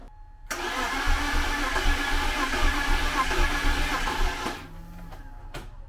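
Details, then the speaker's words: BMW E36 convertible six after cylinder head replacement (had a cylinder 6 misfire): sluggish, labored cranking at about four pulses a second with no catch, even with two jump boxes. The battery is too weak and should have been charged. "Of course, I'm struggling to jump it right now. Got 2 jump boxes on it, but still not enough. I should have taken the battery out and charged it a few days ago."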